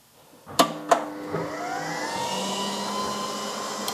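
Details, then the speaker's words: Old CNC router revived after two years stored, first power-up: relay clicks, then cooling fans spool into steady rising whine and settle; power supplies, spindle VFD and three stepper motors running, control asking to home axes, normal. "promising it's asking me to home all AIS before I press that I'll move the camera so you can see but uh that power supply is running that power supply is running the uh vfd for the spindle's running the three step OTS are running"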